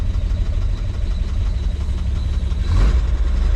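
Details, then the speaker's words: 1946 Chevrolet truck, original restoration, after carburetor cleaning and tank flush: low even idle rumble with one short throttle blip settling back smoothly; runs like a sewing machine, doesn't die or overheat. "you can hear it sounds good runs like a little sewing machine idle's good doesn't die doesn't overheat"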